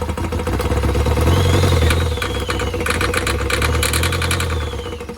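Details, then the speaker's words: 2014 Vauxhall Vivaro 1.6 CDTI diesel non-runner that fires and instantly cuts out: uneven, lumpy, surging running kept alive on brake cleaner; no fuel delivery reaching the engine. "so you would have seen that i was using brake cleaner to keep it going so it's not actually getting any fuel"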